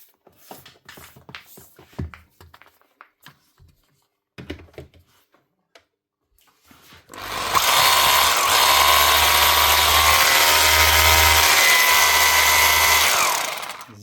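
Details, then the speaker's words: Makita HR2450 SDS drill after fitting a new armature (517375-5) and brushes to replace a burnt-out motor: clicks while handled, then a smooth, steady, high-pitched motor whir with no grinding; healthy motor. "Exactly how you like it to sound."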